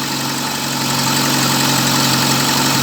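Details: VAZ 2111 idling with check-engine light on, diagnostics showing a camshaft position sensor fault: steady idle with a shaky, uneven undertone; rough running attributed to the faulty cam sensor, sensor to be replaced.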